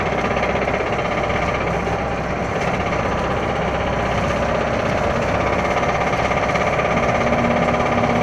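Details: Toyota Starlet: constant busy rattle over the running engine, about three ticks a second, source not pinned down; engine knock, cause suspected, not confirmed.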